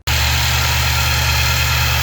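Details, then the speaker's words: 2019 Nissan NV3500, 5.6L VK56VD V8, about 38,000 miles, after replacing a faulty hose with 3/8-inch fuel/emissions hose: steady idle, low even rumble, normal direct-injection ticking, loud eeee whine from hose area gone. "in the engine bay the car is noisy in general that is normal uh sounds like direct injection and whatnot but the extremely loud sound coming from the hose area is gone has been eliminated"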